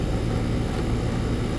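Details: AC condensing unit running normally after a bad dual run capacitor was replaced (universal Turbo 2000) on a no-cooling call: even low hum, steady fan rush, no rattles, clicks or surging. Compressor had overheated; it now draws about 10 A, the condenser fan about 1 A.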